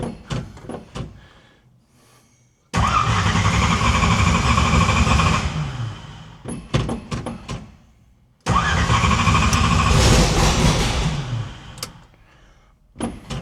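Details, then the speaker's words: No-prep stick-shift drag car just after valve spring install, revved twice: lumpy uneven beat that never smooths; running on only four cylinders because plug wires were left disconnected. "that don't sound nearly right let me ask you a question okay why you got this why the CL off this that was on four plug wires wasn't it yeah"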